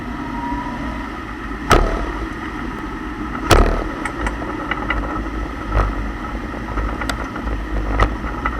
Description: Turns out the differential was clunking because the rear bushings (lets say all the bushings) are completely worn out.